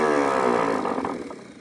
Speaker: I watch the gear come out and engage. And you can hear it. It spins up really nice.